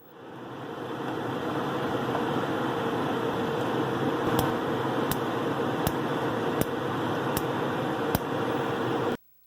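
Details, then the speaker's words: Gas stove burner with a steady roaring flame while the igniter keeps clicking about every 0.75 s even though the gas is already lit; burner cap nudged slightly right, still misaligned; twisting the cap clockwise later fixed it. "this new position didn't work out either the igniter kept clicking even though the gas was already lit"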